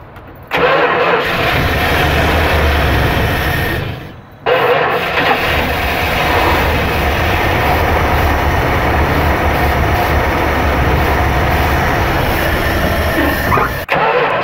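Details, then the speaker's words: Long-dormant 1974 Dodge Winnie Wagon B300 camper van started using carb cleaner: cranks and catches, stumbles and nearly dies around four seconds, then picks up and holds a steady, rough-edged idle. "We about to hear some noise, man. I think. Let me go get the carb cleaner."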